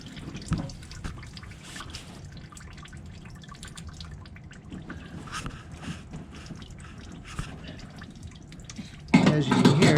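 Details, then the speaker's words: El Camino having its damaged engine removed: uneven patter of drips, roughly three a second, in a quiet shop. Fuel is leaking because the fuel line isn't pinched off hard enough. "like maybe we don't have it pinched off hard enough and we've got a little bit of fuel leaking there"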